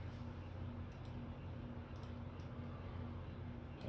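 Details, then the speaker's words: SMC/Kmart ceiling fan on a solid-state speed control test rig, about 0.42 amps: steady low electrical hum with a faint buzz throughout; slight motor hum, rated living-room quiet. "I hear a very slight hum from it. Yeah, I don't hear anything. I mean, I hear it. Okay, there's a little bit more hum."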